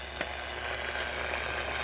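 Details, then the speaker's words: SONNRA AM/FM/SW radio on about 9 MHz, 31 meter band, antenna extended, indoors in an office: steady hiss with faint high whistle and low hum, interference swamping shortwave; suspected local electrical noise, not confirmed. "Getting a lot of noise in my office here."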